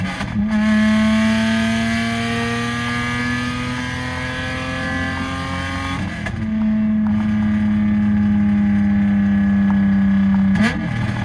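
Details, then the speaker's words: Lexus SC300 with a broken exhaust, rear section missing: two hard pulls, each a loud raw rasp climbing in pitch with no muffling. Straight-pipe exhaust. "So I'm definitely gonna have to do one piece by one, and yeah, but I guess enjoy this straight pipe pull for now, because it does sound fun. I wouldn't say good, but fun."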